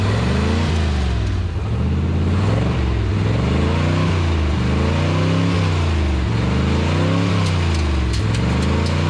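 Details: Abandoned 1959 International B100 after setting the carburetor float level: engine revs up and falls back cleanly several times with no misfire or knock, then drops to a steady, perfect idle; runs healthy.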